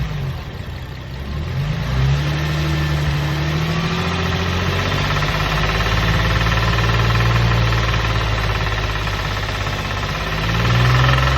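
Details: Infiniti G35 petrol V6: rattling knock that grows more intense when revved; oil change didn't cure it; cause unknown.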